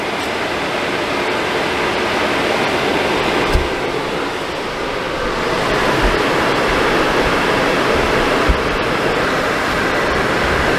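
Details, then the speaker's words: Suburban RV furnace that was short cycling then faulting, test-fired with thermostat wires twisted together: fires right up with a steady, even burner and blower roar, no surging or cut-outs; runs normally. "well did you hear it yeah it fired right up so I'm going to let it run here for a little bit uh just make sure that it doesn't want to cut out cut off on us"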